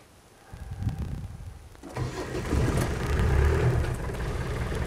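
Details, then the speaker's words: Turbo diesel 2.5 TD, start with bonnet open: brief cranking, catches within a second and settles into a steady, even clatter. Smoke is seen coming from somewhere. The rocker cover gasket is leaking oil near cylinder four, possibly after a head gasket job. Normal cold start. "okay [Applause] starts nice as you can hear it is breathing smoke from somewhere"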